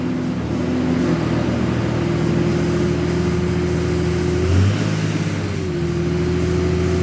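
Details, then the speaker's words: 2003 Dodge Ram 3500 dually, idling with AC switched on so fan clutch should lock: engine roar swells to a steady loud whoosh with a humming tone that dips briefly; fan clutch engaged, though owner unsure the clutch survived. "Now let's put the AC on. And the fan should lock up. Oh yeah, you can really hear it now."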